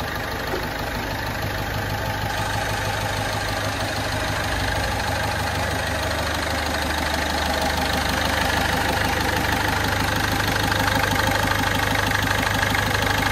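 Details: Ford Fiesta 1.4 TDCi diesel with Durashift gearbox after engine rebuild for oil burning and heavy smoke, bearings, timing set: steady idle with even regular clatter about three beats a second, no knock or misfire; normal idle.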